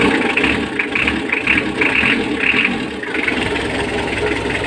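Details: Mitsubishi L300 diesel that would not start on the key (only by push-starting), started after fitting the battery and starter: settles into a steady, even idle clatter with no grinding or misses, but heavy smoke; injection pump timing adjustment planned.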